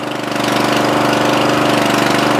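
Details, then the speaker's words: Murray 14.5hp 42-inch lawn tractor, single-cylinder, after correcting the miswired ground. Steady quick even thrum, no misses; charging climbs to 13.5–13.7 V with lights on and it now shuts off from the key; normal running. "awesome so we've got lights now you've got a charging and it shuts off that's great"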